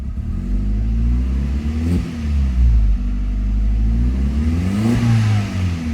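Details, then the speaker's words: Mk4 Jetta 1.8T with replacement USDM block, sat 3 years, very old gas, blow-off valve audible; revs rise and fall in two blips with slight stumble at first throttle opening; breaks up on tip-in, possibly from a leak, unconfirmed. "It's just at the bottom when I first hit it, it's kind of breaking up."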